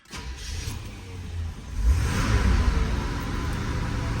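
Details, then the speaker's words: 1977 Corvette after a no-start repair, battery trickle-charged and a voltage-drain check underway: a deep, steady engine note climbs smoothly when revved and settles evenly. It is starting well and getting good fuel; a normal running engine. "yeah so it's it's uh it's running fine it's starting up good it's getting good gas"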